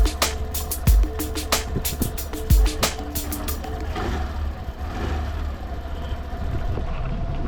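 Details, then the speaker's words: Suzuki Burgman 125 after a long ride, idling after the loose exhaust valve tappet clearance was adjusted with a feeler gauge: smooth, even idle under background music, with no tapping; tappet noise now very quiet. "एकदम silent हो गया bike अभी एकदम silent बहुत ही कम क हो गया आवाज"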